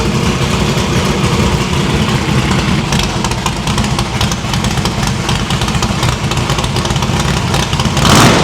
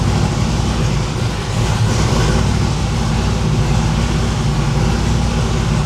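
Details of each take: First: No-prep drag-racing stick-shift V8 after new PAC valve spring install: previously run on four plugs, now all eight plug wires on, headers still cold on one side. Deep, even idle burble with two clean throttle blips. Valve springs seem okay; distributor index/rotor button fix expected to cure the misfire. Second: V8 no-prep drag car after valve spring install: loud lumpy idle with missing beats, running on only four cylinders because four spark plug wires were left disconnected; misfire from disconnected plug wires.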